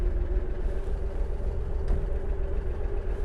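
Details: 1938 Chevrolet 1/2-ton pickup barn find, 216 six-cylinder, 4-speed: low, even burble at steady idle with no knocks or misses before a drive; the engine runs well.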